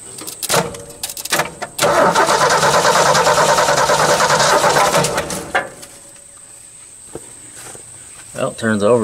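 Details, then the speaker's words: 1980 Ford F-150 van sitting 20+ years, cranked by hot-wiring the starter terminals; steady even cranking for about 3.5 seconds with no gallop, compression sounds balanced, starter works. "good it doesn't have any gallop or anything so that's a good sign starter works"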